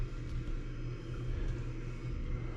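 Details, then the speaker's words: Central Boiler Classic CL 6048 outdoor wood boiler at startup, circulation pump running and pipe getting hot: a low, steady hum and rumble with no knocking or grinding. Normal pump circulation. "Um, I don't know if you can hear on camera, but I can hear it circulating. Pipe's getting hot."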